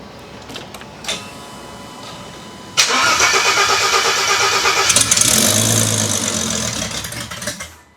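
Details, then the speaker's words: Engine previously run to about 90°C operating temperature after a new coil bracket, started before a head retorque. It cranks, fires at about three seconds and settles into a steady, even run with no knocks or misses. It sounds healthy. "so yeah she runs and uh we are ready to basically take apart everything here"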